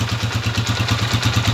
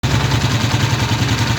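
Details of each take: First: Honda TMX 155 single-cylinder motorcycle idling right after valve clearance adjustment to 0.05 mm: even beat with light, steady rocker arm tapping, a normal, well-adjusted valve train. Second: Honda TMX 155 single-cylinder motorcycle idling, just after valve adjustment, with an uneven metallic tapping that comes and goes; worn rocker arm with excessive play causing valve tappet noise.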